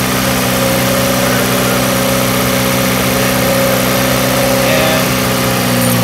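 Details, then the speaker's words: 2008 Jeep Patriot 2.4 L four-cylinder after a tune-up with new Champion spark plugs: steady, even idle with no stumble or skipped beats, running smoothly on all cylinders; normal idle. "fire the car up make sure it runs you know what I mean make sure these plugs aren't in and they should run now"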